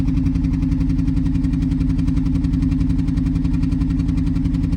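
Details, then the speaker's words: BMW 118i 1.5 Sport at idle just after start: uneven, lumpy idle with a stumbling beat about every two-thirds of a second; permanent misfire with flashing engine light, drivetrain fault and excessive engine vibration; cause unknown. "But as soon as you start the car, you can hear it's running rough."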